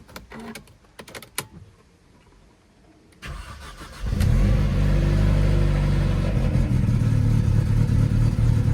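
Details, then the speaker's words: Manual Mercedes CLK200 (C209). The engine catches and settles into an uneven, lumpy idle with a periodic stumble. The misfire was found to come from an unmetered air leak and needs a new breather pipe. An aftermarket fuel filter also hums. "And then this lumpy idle. Really doesn't like it."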